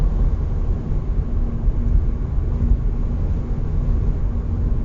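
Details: 2021 Hyundai IONIQ facelift driving 50-140 km/h: faint, even hum over road rumble that gets louder with speed. Same in neutral at 130 km/h, unchanged by a winter-to-summer tire swap, loudness varies with asphalt. The dealer calls it normal. Speed-dependent hum.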